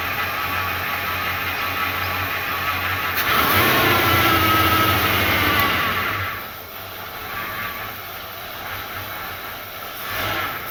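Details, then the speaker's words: 1977 Ford Fairmont XC GXL revived after 12 years stored in a shipping container, idling with a brief clean rev before settling smooth; it runs normally, though the accelerator pump may be leaking slightly. "all right I think I think we're on a winner the accelerator pump might be leaking a little bit I'm not 100% sure so I'll have to keep an eye on that but the rest of it seems like it's actually working for once"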